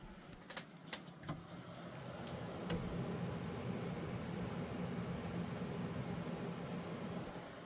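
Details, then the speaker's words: MSI Vanguard RTX 5090 OC with Ryzen 9 9950X3D, 3DMark Speed Way, case closed, about 62°C, 3060 MHz, 575 W, 100% GPU load: soft steady airy fan whoosh, no rattle or buzz; quiet and healthy. "GPU nice and quiet. Now we're upwards of 62 degrees Celsius, 30 60 megahertz, 575 watts, 100% GP utilization. And with the case closed, overall pretty quiet."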